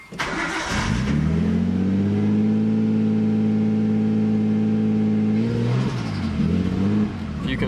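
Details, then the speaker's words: Nissan Skyline RB20 right after an Audi R8 coil pack conversion, on its first start while still cold: revs rise and fall with an uneven, stumbling beat, a constant misfire, though it eventually holds. "that it's actually it's like a constant misfire actually now I think it's holding it"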